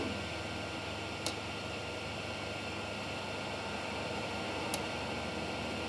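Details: Creality Ender 3 Pro with a 4.2.7 silent mainboard (Trinamic drivers) and BLTouch, running auto-home and bed leveling: only a steady fan hiss and two sharp probe clicks; the steppers are nearly silent and normal.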